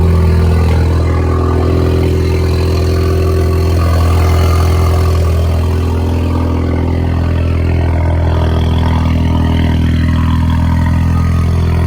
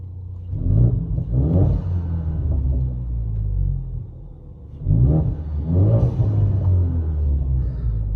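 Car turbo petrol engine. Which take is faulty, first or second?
first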